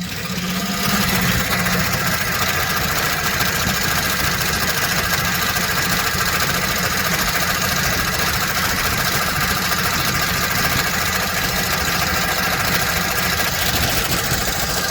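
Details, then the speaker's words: 2007 Chevy Express 3500 van at idle with a slight throttle blip, before treatment: a light, fast, uneven ticking rides over a rough idle and holds through the blip. No smoke; the owner had hoped it was a pulley. Sticky lifter tick. "Yeah, I don't know. That don't sound good. She ain't smoking."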